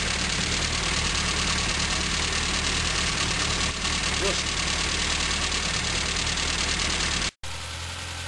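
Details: 1974 Morris Mini, 1400cc MiniSport short engine about 10 miles old, first start in seven years with some choke, fresh oil but old fuel: loud uneven loping idle with hissy clatter; runs rough, cause unconfirmed.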